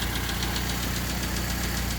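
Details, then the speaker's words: 1990 Honda Civic Si with a swapped D16Y8, first start: lumpy stumbling idle under a steady hiss, as if a cylinder drops out when the idle dips; owner suspects distributor or cylinder 1 position sensor. "So when it drops, it just sounds horrible. Like you can hear it, right? Most people say it's something to do with the distributor."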